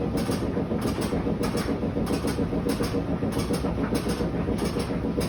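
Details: Whirlpool WTW5600VQ0 washing machine on spin cycle: heavy rhythmic clattering and thumping, nearly two beats a second, over a deep rumble as the drum bangs hard and the machine moves.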